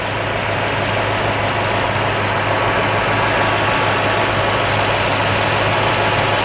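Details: Old Toyota Tundra V8 idling during intake spray test for a bank one code, passenger side, no change: uneven, lumpy, hissy idle that feels rich; AC cycling causes some up-and-down; diagnosed as an inaccurate mass air flow sensor.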